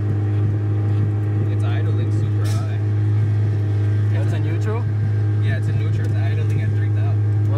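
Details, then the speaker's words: Turbocharged Honda Civic idling in neutral at about 3,000 rpm: steady, even drone that never settles down; owners assume a big leak somewhere. "we brought it back because it's idling super high like it's like at 3,000 so we're assuming there's a big leak somewhere"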